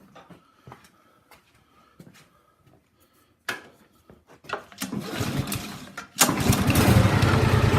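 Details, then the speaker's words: Mudding lawn mower with newly installed engine, carburetor cleaned and fresh gas added: a few cranking clicks, then the small engine catches and settles into a steady, even run without misses; running properly. "It helps to have a little bit of fresh gas in it."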